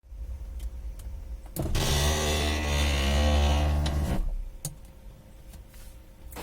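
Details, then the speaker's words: Ford Focus power window, door panel about to be removed: window motor groans with deep strained hum for about two and a half seconds of travel; strange noise traced to dirty, binding regulator pulley. "hoje a gente está aqui para filmar como fazer uma desmontagem de um forro de porta como você viu o meu vídeo aqui tá fazendo um barulho estranho"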